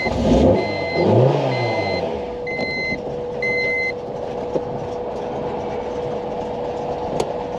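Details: 2002 Honda Civic with a DOHC VTEC 5-speed, unrun for over 10 years, after a new fuel pump: a few chimes, then a short crank before it fires and holds a steady idle.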